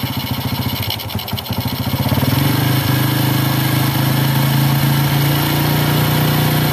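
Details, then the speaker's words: Astrea Grand four-stroke single, warm, idle air screw turned in to find highest RPM: idle rises and holds but beat stays slightly uneven and stuttery, sounding fuel-starved or hesitant; uneven idle during carburetor air screw adjustment. "Sekarang, meskipun putaran mesin sudah maksimal, suaranya terdengar seperti kekurangan bahan bakar atau tersendat karena kapasitas mesinnya besar."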